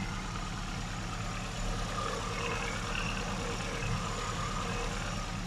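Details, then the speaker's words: Austin Mini 1000 four-stroke (HIF38 carburettor, Maniflow exhaust, stage 1) restarted after valve clearance adjustment: steady, even idle hum with no ticking or tapping from the rockers or valves; the clearances sound right. "On peut percevoir un bruit très sain au niveau du culbuteur, au niveau des soupapes, il n'y a aucun claquement."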